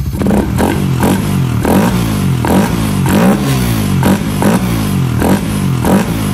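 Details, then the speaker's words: Raider 150 FI single-cylinder motorcycle, sound check after installing a ram air filter: repeated blips, each rev rising to a loud deep roar and dropping back; the open ram air filter makes the intake loud. "Ang lakas talaga ng tunog mga boss kapag naka-ram air."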